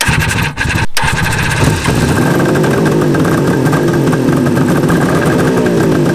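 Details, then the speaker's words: 1973 Suzuki GT550 two-stroke triple, first start after 10 years, carbs cleaned, new battery: heavy clunking from the electric starter as it cranks and catches; cause unknown. "that sound is not good when I use the electric start if you guys know what that clunking might be let me know"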